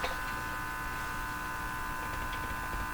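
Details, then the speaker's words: Hallicrafters TW2000 communications receiver after its IF transformer was replaced with a new-old-stock unit. A constant, buzzy multi-tone hum sits under the audio and never changes. The owner suspects power-supply hum rather than the IF; this is not confirmed. "It's a very ugly hum. Can't see how adjusting the IF is going to get rid of this hum. Could this just be bad power supply hum?"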